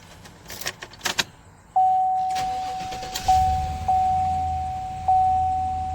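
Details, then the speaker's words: 2018 Chevrolet Tahoe after repair of a no-start/no-crank (only clicking like a dead battery), caused by a starter relay fuse shaken loose on rough roads; with all fuses reseated, a few clicks, then it cranks and catches cleanly into a steady idle: normal start. "i pushed them all in and it started up no issues whatsoever and i will start it now"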